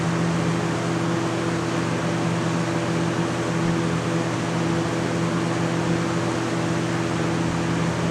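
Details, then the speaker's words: 20-inch box fan running normally: a steady, even rush of air over a soft motor hum, with no ticks or wobble. "as you can tell there like i said it's loud it's louder than the i think that this must be because the wheels they're just they they muffle some of that sound"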